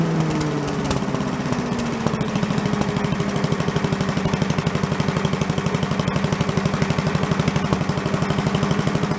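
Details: Commercial walk-behind leaf blower bought not running with carburetor problems (flooding, shut-off not shutting off), after carb work and air cleaner refit: revs drop quickly and settle into a steady, evenly firing two-stroke idle with no misses; normal idle.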